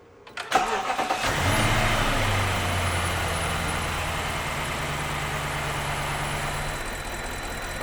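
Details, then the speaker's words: BMW 750 (E65) N62 V8 cranks and settles into uneven lumpy rough idle from cylinder misfire, with hesitation when revved; diagnosed via OBD. "this engine is having a rough idle and I'm going to quickly start the engine so you can hear the rough"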